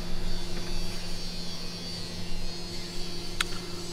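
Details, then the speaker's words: Refrigerator that had stopped refrigerating, just plugged in after a thorough cleaning: smooth, steady low compressor hum with an even fan whoosh and no knocking. Compressor and fan are running normally. "plugged it in and everything seems to be running the compressor is running fan is running sounds like it's working"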